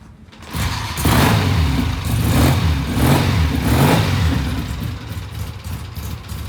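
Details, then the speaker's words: 1967 Triumph twin after cleaning the pilot jet: steady idle with three clean, crisp throttle blips returning evenly, no stumble or pop; normal idle and rev. "What a difference a clean pilot jet makes. Listen to that thing. Isn't that gorgeous?"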